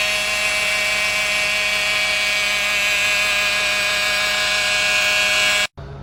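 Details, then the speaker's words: Peugeot 208 three-cylinder PureTech with oil-bathed timing belt: steady high whine with a rough metallic edge; belt shedding rubber clogs oil galleries and pump pickup; fix is new belt, clean pickup, correct oil. "Começou a dar esse tipo de barulho aí, barulho igual esse aqui no vídeo aí. Pode saber que a correia dentada já está desfarelando, já está desprendendo material."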